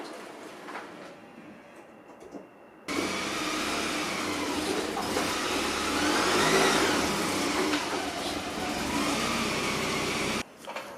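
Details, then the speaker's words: 1990 Saab 900 just after a rebuilt steering rack install, first drive after long storage: uneven lumpy engine beat with coarse wavering mid-pitched roar; rough running. "besides it running like an absolute turd the steering feels the same way it did as the day i took it out and it's not leaking"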